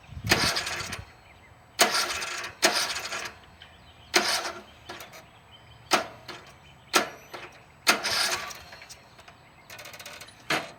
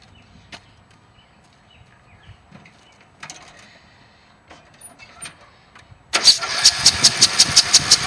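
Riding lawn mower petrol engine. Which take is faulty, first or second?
first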